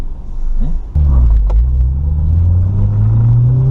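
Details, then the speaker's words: Honda Del Sol with a swapped B16 VTEC engine, full-throttle acceleration on the road: throttle snaps open and a deep, even drone climbs steadily in pitch, clean with no knocks; healthy engine pulling hard. "So you gotta go like all the way to 8,000. The fun doesn't happen until after 5,000."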